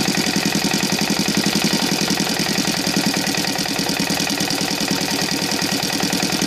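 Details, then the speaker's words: Saito FA-125 four-stroke glow engine converted to CDI ignition, Evo 15x6 prop; even, steady popping at about 1200 rpm idle, clean firing with no misses; normal idle. "so we'll try to go on the idle the tachometer sometimes it gets crazy and you cannot see the numbers but at least you can hear the sound of it yeah like right now"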